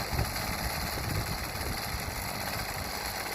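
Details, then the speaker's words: Homelite HTC 12 30cc two-stroke rototiller, after fuel lines replaced and cleaned, started outside: small two-stroke buzzing at steady fast idle, even and unbroken with no misses; normal running. "New fuel lines on there. Got it cleaned up a little bit. And it runs."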